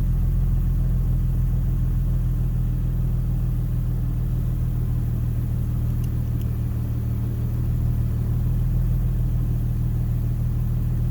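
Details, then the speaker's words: 2010 Infiniti G37 Type S coupe, 6-speed manual, with a newly installed Top Speed Pro-1 dual exhaust, idling and revving after first start, heard from inside: deep, even rumble swelling briefly with throttle, no ticks or rattles. Healthy engine and exhaust. "Alright, so my first starts are, you can barely hear it a little bit on the inside. It's not too loud."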